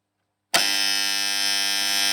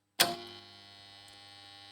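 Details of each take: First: Three-phase farm motor starter making a loud, harsh electrical buzz that cuts off sharply; buzzing contactor. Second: Three-phase motor starter contactor after a home fix for its loud noise: a sharp clack as it pulls in, then only a faint steady hum. The earlier loud noise is gone and this hum is normal.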